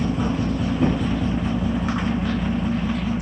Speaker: sounds a lot better than it did before much quieter